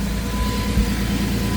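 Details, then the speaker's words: 2004 Jeep Grand Cherokee idling after fuel filter replacement: quiet even low hum with faint steady tone, no stumbles or misses; running fine, no leaks. "No leaks. Can't really see up there, but I can. No leaks. It's running fine. No leaks. Running absolutely brilliantly."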